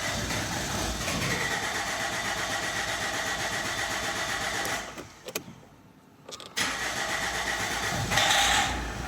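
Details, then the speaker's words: Opel Vectra C Z19DTH diesel, rebuilt engine, injectors refitted with single washers and donor injectors: clatters unevenly, dies and catches again, running only while sprayed with starting fluid, pointing to fuel delivery. "Поки пшикаєм, працює. Поки не пшикаєм, не працює."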